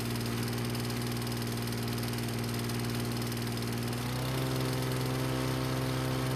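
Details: Lawn-Boy mower, previously not starting, after brake cable replacement, briefly flooded at first: smooth, even small-engine drone holds steady, then settles at a slightly higher speed; running cleanly.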